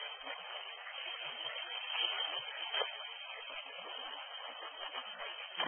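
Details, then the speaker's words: Acoustic ball inspection of a pressurized sewer force main: steady thin hiss growing as the ball nears a leak, with occasional ball chirps; the acoustic energy tapers off after the ball passes the leak. "When the file starts, you can already hear the hissing sound, but you can also hear the ball chirping and the hissing sound growing with time."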